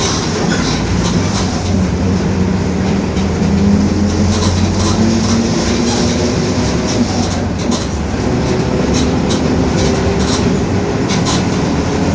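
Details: 2021 Marcopolo Torino S bus on Mercedes-Benz OF-1721 BlueTec 5 chassis, urban route, driving: a low, steady growl under the diesel drone holds while under way; noisy differential growling.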